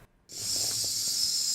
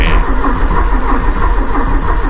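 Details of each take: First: 1984 Porsche 944 barn find stored 20+ years, no-start, new fuel pump jumpered to 12 V: sharp steady hiss as the fuel rail nut is cracked open, showing fuel pressure at the rail. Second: 1984 Porsche 944 barn find stored 20+ years, after belt job, new plugs and wires: cranks steadily with even chugs and decent compression but never catches; no fuel, suspected seized fuel pump.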